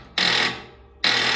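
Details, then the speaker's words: Lawn tractor that won't start though the charger showed full charge: two sharp metallic clacks about a second apart and no cranking. Either a dead battery or the starter solenoid; the owner is pretty sure it's a dead battery. "okay so that is telling me it's either a dead battery or it's starter solenoid and i'm pretty sure this is a dead battery"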